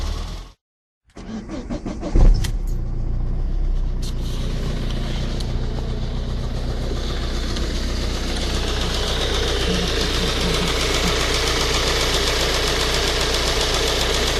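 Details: Ford Focus 1.8 TDCi 115 diesel idling roughly after start with a light, rapid ticking knock under the engine note, shaky around 1000-1100 rpm, louder after 10 minutes driving; suspected diesel injection pump knock, diagnosed as a faulty high pressure pump.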